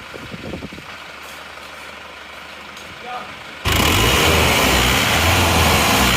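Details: Isuzu Panther diesel from Madura, after a rebuild of a previously cracked engine using a used block, fully warm at about 90°C with thermostat, idling at the tailpipe: quiet then loud, steady, even idle with no misfire or knock, only thin exhaust smoke.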